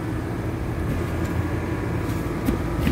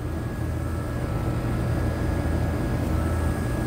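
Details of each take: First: AC condenser running normally and cooling after a burnt wire connection to the compressor was repaired, on a 100-plus degree day; steady deep even hum with no clicks or hesitation. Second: HVAC condenser unit on a no-cooling call in 100-plus degree heat: condenser fan motor running with steady drone, compressor only buzzing and not starting; system also low on refrigerant. Cause found to be a burnt wire connection.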